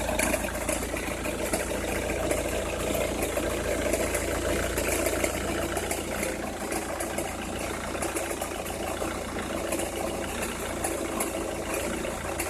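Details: Opel Meriva, cold engine at idle: uneven scratchy crackle over a soft engine hum, only when cold or at very low revs, stops once warm; noise localised to one side, cause unknown.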